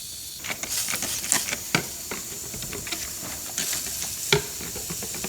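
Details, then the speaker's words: Turbocharged car, engine off, intake pressurized with a homemade boost leak tester: sharp steady hiss of escaping air with irregular sputters, soapy water bubbling at the front intake coupler; boost leak confirmed there. "Okay, so it's definitely leaking there."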